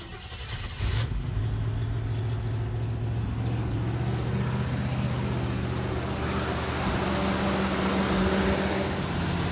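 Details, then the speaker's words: 1987 Jeep J-20, AMC 360 V8, cold start with mechanical test gauge at oil pressure port behind oil filter: fires and holds deep, steady idle, no ticking or knocking; 65 psi cold versus dash gauge's 40, normal cold running. "And then I'm going to start it up and we'll see where the oil pressure reads. On cold startup, it normally read about 40 degrees, raising up to 50 when I rev the engine."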